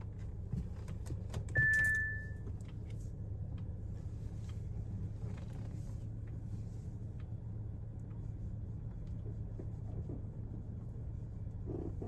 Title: Audi A4 B9 squeaky noise when turning/ parking/ bumpy roads.